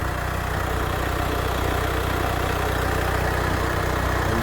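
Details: VW Crafter campervan diesel after head gasket failure and top-end rebuild, number one injector line leak fixed: even, steady idle with regular firing beat, no knocks or misses; normal, healthy idle.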